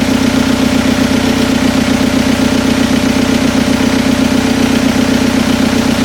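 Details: Toyota pickup with swapped VW TDI diesel, first start after head gasket replacement, injectors primed, before pump timing adjustment and warm-up: settles into even idle with steady regular clatter, no misses; runs healthy.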